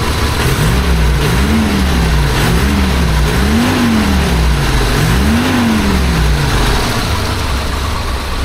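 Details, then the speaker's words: 1976 BMW 2002 carbureted four-cylinder, first start with the air cleaner fitted, after carburetor and timing work: low, even engine note with gentle blips settling smoothly, no knocks or ticks; runs quietly. "runs pretty quiet."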